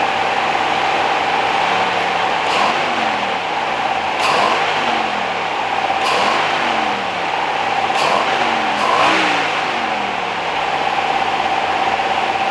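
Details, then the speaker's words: 1969 Rover P6 Series 1 3500 V8 automatic restarted after 16 years standing, with penetrating oil applied. Repeated blips climb cleanly and drop back to an even idle, now running on its own and sounding healthy. "Is it getting better? Yeah, it is. Much better. Doing it on its own now."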